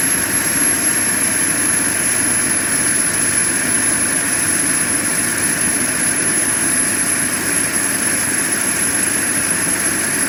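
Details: JetCentral turboprop turbine on its first test start, with a temporary wrong-size propeller: a steady, even roar with a constant high whistle and no surging or rattles; it runs smoothly.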